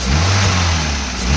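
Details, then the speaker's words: Maruti WagonR idling then sudden throttle; breathy whoosh like air pushing out rides on rising engine note at start of acceleration, air intake leak caused by broken air filter case. "Accelerator കൊടുക്കുന്ന സാഹചര്യത്തിൽ കൊടുക്കുന്ന ആരംഭത്തിൽ എയർ പുറത്തേക്ക് തള്ളുന്ന പോലെ ഒരു സൗണ്ട് നിങ്ങൾ ശ്രദ്ധിച്ചില്ലേ? അതാണ് ഈ വാഹനത്തിന്റെ ഇപ്പോൾ കാണിക്കുന്ന കംപ്ലൈന്റ്."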